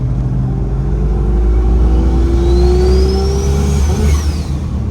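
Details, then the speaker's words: 2JZ-swapped Jeep Cherokee XJ at wide-open throttle, 10-15 psi: pulls hard with climbing turbo whine then stumbles near top of revs; breakup or boost cut under acceleration, cause unconfirmed. "so you can hear there it's got this nasty breakup and it just makes driving this not as fun"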